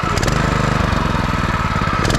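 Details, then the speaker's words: New 2021 Predator 212cc 6.5 hp four-stroke engine, fresh oil, first start; crisp rapid evenly spaced firing pulses, strong and steady; normal running. "yo this thing got power you can hear it oh yeah this is nice dude let's start right up yo hold on like a beast yo"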